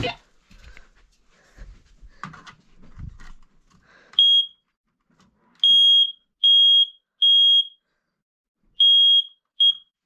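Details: Basement smoke alarm during a January smoke and carbon monoxide alarm test: loud, high-pitched beeps in bursts about half a second to a second long after a quiet lead-in; the alarm responds properly.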